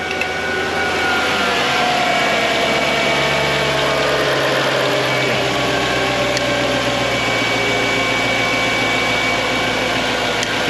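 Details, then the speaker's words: Mercedes E55 AMG W211 M113K supercharged V8, 210,000 km, first start after new Bosch injectors, MAP sensor, thermostat and vacuum lines, no coolant yet: even steady idle drone; sounds good, though a miss on one cylinder was suspected. "Okay, well at least it sounds good, there's no issues."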